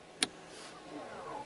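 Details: 2017 Chevrolet Volt, electronic parking brake applied with foot on brake before TPMS relearn: a click, then a short, smooth motor whir of about half a second that stops cleanly, normal application.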